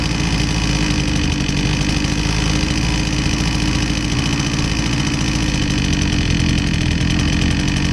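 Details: Husqvarna 122C string trimmer that previously bogged and only ran on feathered choke, after repair with fresh fuel: small two-stroke settles to steady even idle and picks up cleanly; running normally.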